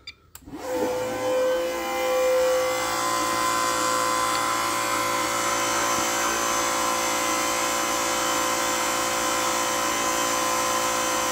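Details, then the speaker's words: Bike fuel pump switched on via the ECU output test to prime and flush the lines before a methanol start: a click, then a steady high electric whine holding even pitch; fuel pump priming normally. "so we're gonna turn the fuel pump on and let it just prime out and kind of clean the system and run through the lines"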